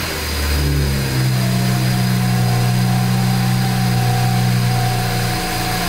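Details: BMW N54 twin-turbo direct-injection engine after home cleaning of intake valve carbon deposits: catches quickly, settles, then revs up and down cleanly with a steady note and good throttle response; less vibration than before.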